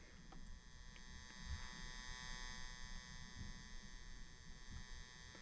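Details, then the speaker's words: Galaga arcade machine after clock and boot repair, already recapped, monitor powered on: steady electrical buzz with several fixed tones that never changes pitch; cause unknown, normally a capacitor, still to be investigated. "Can't tell if you guys can hear that or not. We do have a buzz coming."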